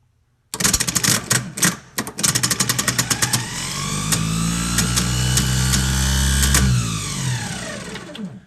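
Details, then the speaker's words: Old starter from a 1984 GMC Jimmy 350 that clicks and won't start, bench-tested: uneven clattering clicks, then the motor whines up, holds and winds down; drive gear bouncing, faulty starter. "yeah it should not be bouncing around that much that's not not a normal function of this part we'll try it one more time"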